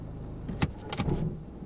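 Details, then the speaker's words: Budget auction-bought automatic Mercedes with gearbox and EML issues, after repair attempt: one dull heavy thump over quiet idle as selector drops into drive — harsh clunk engaging gear; car not fixed, cause unknown. "Oh, wait, it's gone into F. Okay, wait. Maybe we're not. Maybe we're not on to a winner. Ah, it's clunked into bloody gear."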